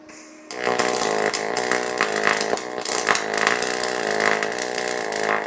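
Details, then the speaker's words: YesWelder DP200 double pulse MIG welding 16 gauge steel: crackling buzz with a steady, rhythmic rise and fall as the arc swings between high and low current, a normal double pulse weld. "Again, I've got the 16 gauge steel here, and I'm going to double pulse MIG weld this. And again, pay attention to the sound while I'm welding."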